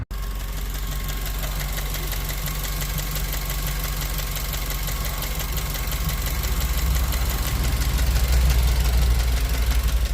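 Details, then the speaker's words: 2004–09 Mazda 3 hatchback engine at idle: a fast, fairly steady tick of about four a second that sounds like lifter tick. The owner says it is not the lifters, and the fix was diagnosing and replacing the intake manifold. "Now, chances are if you're watching this video, you are having the same issue I am, which is what sounds like lifter. It's not, but it sounds like it."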